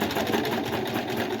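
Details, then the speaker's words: Kenmore 385 series sewing machine after deep cleaning of dust and thread, run by foot pedal on straight stitch: smooth, fast, even needle-drive chatter at steady speed, no grinding or knocking; runs like new. "I got my foot on the foot pedal so you can hear how it's running and how it's doing."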